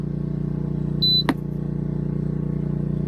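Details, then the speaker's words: BougeRV compressor cooler/freezer on newly installed 12 V van outlet (about 11.9 V): short steady beep at switch-on, then low even compressor hum with no rattle or labouring; healthy. "We should hear a beep or something. Hey, we have signs of life. Beep."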